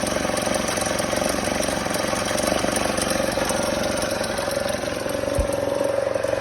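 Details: Kymco Super 8 50cc two-stroke scooter fitted with a derestricted Naraku variator and 8 g rollers, idling with a fast, uneven mechanical rattle and steady drone; cause unknown, bogs when driving and noise worsens when decelerating.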